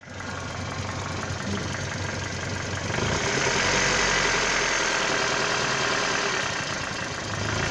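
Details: 1996 Toyota Caldina ET196 with the 5E-FE engine, a year after overhaul with new crankshaft and bearings. At idle, a sharp, regular metallic tapping about four per second rides over the engine note; internal knock, cause unknown.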